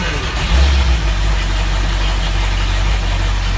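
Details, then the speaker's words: Boat's Ford 351 V8 EFI first start after drivetrain rebuild (new drive coupling, gimbal bearing, transom seal): deep, even rumble settling after a brief surge, no knocks or misses, gauges in the green; normal idle. "We're underway. Let's see what she sounds like, shall we? Pick up some throttle. Everything's in the green."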